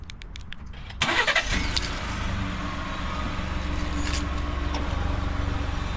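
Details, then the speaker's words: 2019 Ford F-150 3.5 L EcoBoost V6 after DIY cam phaser replacement: short crank then smooth even idle, no startup rattle; phaser noise fixed. "so there we go no more noise on this 2019 f-150 that i purchased with bad camp phasers"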